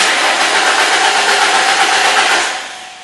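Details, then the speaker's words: 2002 Ford Mustang 3.8 L, battery found dead and recharged: quick even cranking about two and a half seconds that never fires; crank no-start. "Okay, here we have a Mustang. It's a 2002 with a 3.8 liter engine, and as you can hear, we have a no start."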